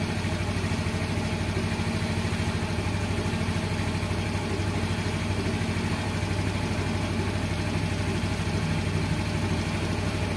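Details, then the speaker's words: Yamaha X-Ride fuel-injected Blue Core scooter after throttle body cleaning and scanner reset: even, steady idle at about three beats a second, no misses, hunting or stalling; idle neither too high nor too low. "Oke sudah selesai oke Ini hasilnya Nah ya stasioner sip untuk stasionernya jangan terlalu tinggi jangan juga terlalu rendah"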